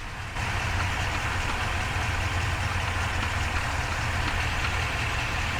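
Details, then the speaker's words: Ford 7.3 F350 with the 10-speed transmission, about 2,500–2,600 miles, original oil filter, microphone under the truck: a deep, rough idle with a fast, uneven knock under the drone. The owner suspects the transmission rather than the engine. "so let me know if you can hear this knocking noise I don't know if it's coming from the engine or the trance"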